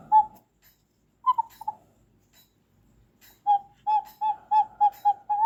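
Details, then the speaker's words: Lux Bakelite cuckoo clock bellows with the case's side hole plugged: hollow whistling puffs on one pitch, a short cluster then a quick run of eight. This is a clean low note; releasing the hole gives the high note. "because right now it sounds like a low note bellow."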